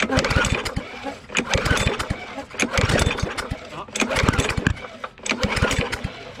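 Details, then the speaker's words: Yard Machines 22-inch push mower with Briggs & Stratton engine, found in the trash: repeated pull-cord bursts about every 1.5 seconds with brief coughs but no catch; owners suspect a lot of water in the carburetor and reach for starting fluid. "go get the starting fluid let's go hit it with a little bit of starting fluid because you know you only have a screwdriver um we're going to go ahead and hit this with some starting fluid because we know that there was a lot of water so there's probably a water a lot of water in the carburetor"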